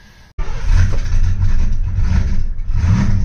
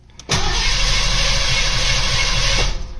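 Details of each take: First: V8 Mustang's first start after winter storage, with new spark plugs and good oil pressure: it catches and revs, then the idle surges and sags about once a second and it stalls. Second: Mustang after winter storage, new spark plugs, cylinders fogged with oil, coil wire off: strong even cranking at a brisk steady pace without firing while oil pressure builds; starter turns engine healthily.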